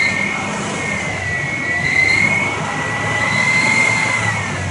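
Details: 2000 Ford Explorer 4.0 SOHC: a thin, steady high whine sits over a soft engine hum and wavers slightly with revs; engine whine, source still unknown.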